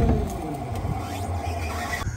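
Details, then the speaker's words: Self-contained repo wrecker unit on 2000 Chevrolet C3500 diesel, small electric hydraulic motor powered by jumper cables via previous owner's controller: steady low hum with faint pump whine; wrecker works normally. "The sucker works. All right, so now we know we've got a working wrecker for repo."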